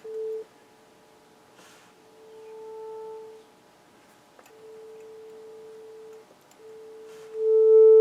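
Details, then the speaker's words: Harman Kardon 900+ quadraphonic multichannel receiver in four-channel mode on auxiliary one, test tone near 440 Hz: right channel plays quiet and thin with a buzzy edge, weak and distorted output. "this one seems to be working the right is working but it's got low volume and Distortion this thing's got a lot of problems"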